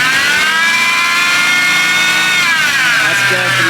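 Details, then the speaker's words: BMW E92 M3 V8 revving outdoors in strong wind with the air conditioning on: a loud high-pitched whine climbs and falls with engine speed; owner suspects the power steering pump needs replacing, unconfirmed. "i think it's the power steering so i need a new power or a steering pump"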